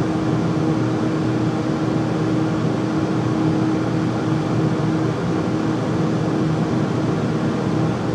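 Constant heavy rumble with a faint steady hum throughout, no rhythm change; furnace running louder than it should, cause unclear.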